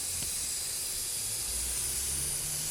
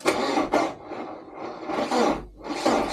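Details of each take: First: Porsche that would not start: compressed air fed into a vacuum line gives a steady, sharp hiss of air escaping at a loose hose connector at the back, just past a spark plug. Vacuum leak found; tightening the connector is hoped to fix starting. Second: 1986 Porsche 944 with a no-start where the two front plugs were wet with no spark, after swapping plugs: uneven cranking, then the engine catches and settles into a steady, even run with no misfire. Normal start and idle.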